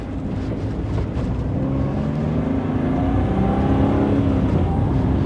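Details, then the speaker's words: Geo Metro, 1.0 L three-cylinder of about 55 hp, after idle mixture and timing were readjusted: even drone rising smoothly with speed, road rumble, no knocks or misses; engine healthy, shifts well, strong clutch. "she shifts great the clutch is strong engine sounds healthy and it gets up to speed for a car that only has like 55 horsepower from a 1.0 L 3 cylinder it really gets down the road just fine"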